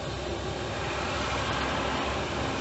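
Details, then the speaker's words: Chinese diesel air heater fitted in a 1988 Toyota Hiace campervan, running at full output (5.4 Hz pump setting), warming up: steady, even roar with no pulsing, sputter or surging; burning cleanly. "it's pumping out nicely right let's get inside close it up and see how long it takes for the temperature to rise"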